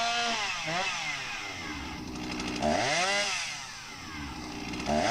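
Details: Husqvarna 261 chainsaw, 21 years old, not run in a long time, during tune-up after carb adjustment (jet opened, set a couple hundred rpm below ~3600 peak, left slightly rich): saw blips up and down, crisp climb, clean drop to steady idle, no bogging; runs healthy.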